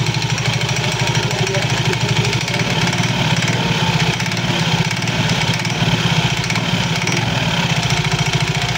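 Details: Soul GT 115 scooter at idle with fast steady clattering knock from the CVT belt-drive side; suspected looseness or wear of certain CVT parts, not yet confirmed.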